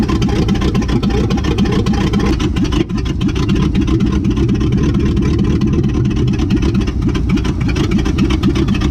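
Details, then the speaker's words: 1959 AMC Rambler Ambassador V8 first start after 39 years parked in a field, dual exhaust fallen off with rat nest debris; loud, deep, uneven open-pipe idle rumble, running rough on weak cylinders, owner hopes running clears sticky valves and rings. "looks like we got a runner boy the dual exhaust fell off but look at all this rat stuff that fell out"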